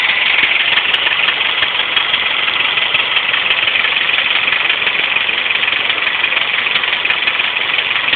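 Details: Subaru Impreza EJ25 that suddenly began idling rough and clicking loudly after coming off the highway: tinny rough idle with a fast, even tick about three per second; the owner suspects a spun bearing, but this is unconfirmed.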